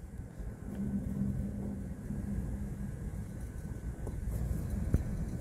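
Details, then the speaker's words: York gas pack rooftop unit indoor blower running: heavy low rumble with rough droning tone; worn, dry fan bearings, at least one bad, both likely to be replaced. "sounds like a bad bearing that's what it sounds like to me so it looks like we're not done with this one it smells to me like these bearings are sharp at least one of them probably have to replace both not good"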